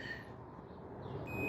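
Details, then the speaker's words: Greenworks 20" 12A corded electric lawnmower tripping house breaker: multimeter continuity test across the rectifier's black and white leads gives a steady high-pitched beep, meaning the rectifier is shorted and needs replacing. "You're gonna make sure you test it. If you hear the beep, that means it's shorted."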